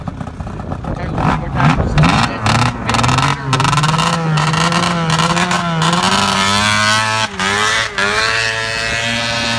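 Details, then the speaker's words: Arctic Cat ZR440 two-stroke snowmobile, first drive after rebuild: revs up but wavers and cuts out at top end, bogging, not pulling cleanly; fuel system suspected, needing fuel pump and carb tune. "okay Adam go show everyone how it bogs try to make it bog on video"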